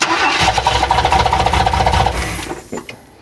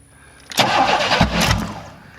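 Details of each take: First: 1994 Chevy Astro van, newly installed remanufactured engine, first start while ignition timing is set by turning the distributor rotor: engine cranks, catches quickly and settles into a steady running beat, run cold; engine starts and runs. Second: 1994 Chevy Astro van with newly installed remanufactured engine, first start attempt: cranking catches with a sharp loud backfire then a rough stumble.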